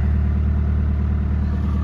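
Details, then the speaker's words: 2003 VW Jetta ALH TDI diesel just after starter replacement, clutch in, fast idle about 1100 rpm with 13.9 V charging; steady even diesel clatter, normal healthy idle. "go 13.9 volts we're charging it's in 1100 rpms coolant shut it off"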